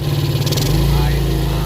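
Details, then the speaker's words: Rebuilt Yamaha Vega ZR engine idling, carburetor refitted and valve cover open to watch oil flow, after full rebuild for recurring smoke: low steady even idle, no knocks or rattles, smooth, oil rising freely; normal. "Ini suara mesinnya sudah halus kita tinggal PG Naika tidak ada ya di sini kita lihat odinya naik sudah lancar"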